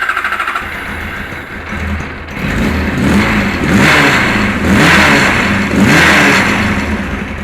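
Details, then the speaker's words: Kawasaki KZ1000 police bike, cold, choke off: engine labours and surges unevenly, never settling to a steady idle, runs rough; cause not found despite extensive testing. "yeah obviously that's with the choke off but it just does not want to run"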